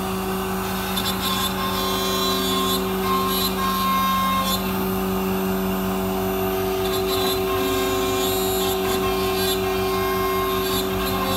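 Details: MultiCam 3-204 CNC router cutting with a small tool on an intricate design, 5.5HP Colombo spindle at 16,000 rpm, 225 in/min, vacuum pump running; steady even spindle whine over light cut chatter; smooth, efficient, fast.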